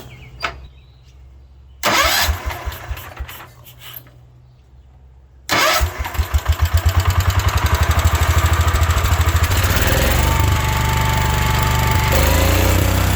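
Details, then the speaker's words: 1972 Wheel Horse Raider 12 lawn tractor, sat in a shed 15 years, after governor repair: cranks, stumbles, then catches and settles into an even single-cylinder run; governor now working, idle needs raising slightly. "I think I need to idle it up a little bit, but the governor is now working."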